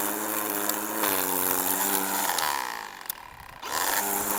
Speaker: if you hear that growling noise that means you got plenty of line fed out and it's doing its thing